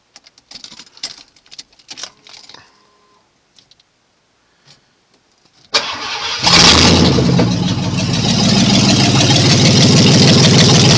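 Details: 1990 Ford F150 with freshly rebuilt 302 V8: short crank, catches with a rev, then settles into a loud but steady idle with no knocks or misfires, no leaks; healthy.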